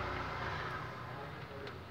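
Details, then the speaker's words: Fiat Tipo 1.6 at idle after removing and reworking the idle control motor and a rubber piece to cure an idle noise: smooth even low idle with a steady murmur and no ticking, rattling or knocking; the engine sounds quiet and healthy. "Aí ó, sem barulho, sem nada. Tá vendo? Sem barulho, sem nada."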